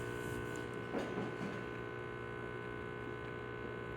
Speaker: still the machine is keeping up no leaks coming out from the group head or any another place and it's just keeping up that new airb and that new spans is definitely doing their job I do not hear the screeching sound that I used to hear before